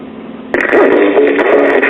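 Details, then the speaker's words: Montclair record player with General Industries 4-speed changer, flea-market junk being restored: music plays thin and gritty with treble cut and a rough edge throughout; worn-out stylus. "Needle shot. Why should that be a shock?"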